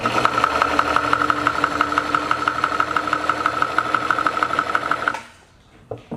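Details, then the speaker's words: Singer Stylist 814 sewing machine from a junk pile, first power-up on a bench supply: harsh clattering about three beats a second with tinny ringing; hand-wheel clutch not working, owner suspects plastic stack cam; loud mechanical racket. "I don't know what that noise is I uh there's a plastic stack cam under the stack maybe that's"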